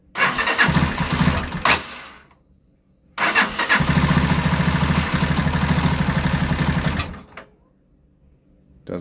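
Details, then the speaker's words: Lexmoto Isca 125 single-cylinder, restart after clearing ECU codes (no fault codes): starts, runs a few seconds, then fades and dies, twice over. Stalling, likely from fuel starvation. "so let's start back up oh she didn't want to"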